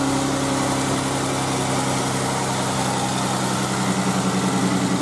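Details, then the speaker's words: Jeep JKU just restarted after oil leak repair with new parts and new plugs, oil refilled, battery had been dead: steady even idle hum with a low-pitched drone, no knocks or misses; normal idle. "There it is. Back and running. Might smell a little bit. New plugs."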